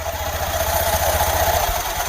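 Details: Honda Beat FI scooter after a CVT service (rollers, drive belt, clutch housing cleaned), run with the CVT cover off: even, quick putter with light belt hum; normal idle.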